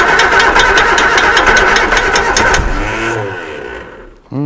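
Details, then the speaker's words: Reliant Supervan engine running for the first time in 37 years after rebuild: sharp, even tick about three per second over idle and throttle, the fan hitting something; source not yet found. "the fan is definitely tapping on something but I don't know what it is"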